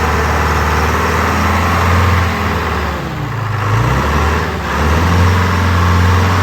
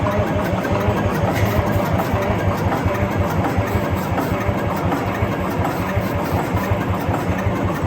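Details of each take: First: Wagner W4 loader with Detroit Diesel 4-53 two-stroke, retried at original throttle setting after clearing oil it may have sucked up: loud steady two-stroke drone that dips and recovers evenly with throttle, no knocks or misses; normal running. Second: Wagner W4 loader with Detroit Diesel 4-53 two-stroke, cranking: about ten seconds of steady rhythmic cranking that never catches; cranks but no start, cause not confirmed.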